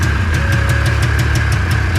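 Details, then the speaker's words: 1990s Yamaha Phazer 2 two-stroke snowmobile left outside 10 years, first real start after wiring repair; uneven loping idle with sharp pops about six per second, smoky; owner suspects spark leaking from a plug wire; misfire, running on one cylinder. "Look at that! It's alive! Sounds like it's running on one cylinder."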